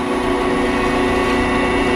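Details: Delta 14-inch band saw after vibration measured with dial indicator: steady even motor hum with constant tone and no thumps or wobble; running smooth and quiet.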